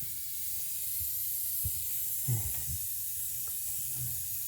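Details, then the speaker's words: Old Worthington shop air system: steady high hiss under low mechanical thumps, pressurised air escaping from a crack in the plastic dryer housing just below the lip; later repaired with epoxy. "something's leaking"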